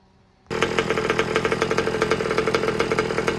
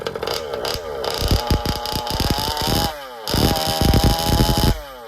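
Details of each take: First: Old Baja buggy with a new two-stroke engine during heat-cycle break-in, new pipe with bigger expansion chamber, idle set slightly high: crisp, even buzz with steady pulsing and no misses or rattles; normal running. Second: Old Baja small two-stroke with a newly fitted engine, on its first drive during break-in: blips and falls back with a wet, blubbering burble instead of a crisp scream; carburetor still set rich.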